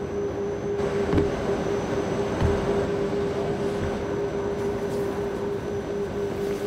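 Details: Vanderlande parcel sorter switched on: steady loud mechanical roar with constant mid-pitched hum and faint rattles, even run with nothing abnormal; normal running noise.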